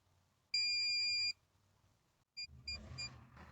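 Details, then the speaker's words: MaxxAir roof vent fan run above ten percent: it shuts itself off, then a long high beep of nearly a second and three short quick beeps, a faulty motor and circuit board, both replaced later. "there goes guys it'll go ahead and turn off myself followed by this series of beeps and that can get really annoying in the middle of the night"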